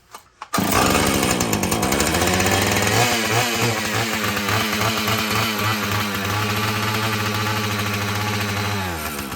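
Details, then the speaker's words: Husqvarna 445 chainsaw that had bogged when throttled, after cleaning and tune-up: it holds a clean, steady high-rev buzz with no bogging or surging and sounds well tuned, running properly; the carburetor diaphragm may loosen and need further adjustment. "What do you think? I like it. I like it. I like it."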